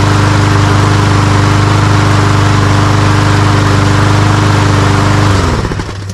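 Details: Toro Recycler walk-behind mower with a Briggs & Stratton engine and plastic carburetor, previously starting then dying, after carburetor cleaning. An even, steady single-cylinder drone at constant speed with no surging or stumbling, then a clean wind-down at shutoff; running normally.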